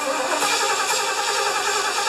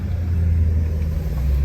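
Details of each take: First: 1975 Lincoln, just reassembled, first start attempt in a hot shop with vacuum lines plugged and one squirt of fuel in the carburetor: the starter grinds steadily for about ten seconds without catching. It is hard starting, likely because the distributor was installed one tooth off. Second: 1975 Lincoln V8 back together after exhaust manifold gasket replacement: a deep, even idle rumble with no clanking or ticking. Normal smooth idle, where it ran rough before; the accelerator still sticks slightly.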